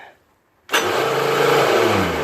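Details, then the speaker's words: Toro CCR 3650 R-Tek single-stage snowblower, electric starter on choke with carb cleaner sprayed in: loud whir that winds down with no cranking. Starter gear freewheeling without engaging the flywheel; needs grease or a new starter gear. "The teeth of the electric start is not moving up as you push it. So it's freewheeling. It has to be greased."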